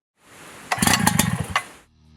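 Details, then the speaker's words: WICK 375 pump two-stroke engine, cold start with choke closed after fuel priming: pull-cord rasp then a few soft irregular pops before dying away; faint first ignition, cue to open the choke. "listen carefully for the first ignition as we hear here it might sound as subtle as"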